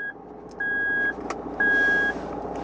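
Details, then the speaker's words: Toyota Land Cruiser 150 3.0 D-4D idling, 4LO-to-4H shift attempted in P instead of N, VSC off and 4LO lights on; three steady evenly spaced high beeps over quiet idle. Transfer case shift warning; fix: move to N, then shift. "Acest sunet pe care îl auziți este făcut de sistem care ne avertizează că nu am operat corect trecerea din 4LO în 4H. Respectiv, suntem cu transmisia în modul P și nu în modul"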